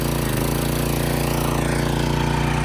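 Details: Craftsman pressure washer with a Briggs & Stratton single-cylinder engine, after clearing the clogged bolt hole and refilling the empty tank: steady, even low thump with no stumbling or surging. Runs cleanly and sounds healthy.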